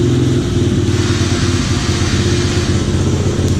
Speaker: You got a kill switch right here. Flip that on. Starts right up.